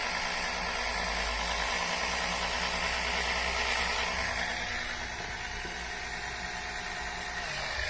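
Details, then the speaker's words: Electric oil extractor pump sucking engine oil through dipstick tube from the oil pan: steady low hum with constant rushing hiss of fluid, suction strong enough to flatten the tube; running strong, normal. "There it goes. Boy, this is going fast. There's so much suction, it's sucking this tube in flat."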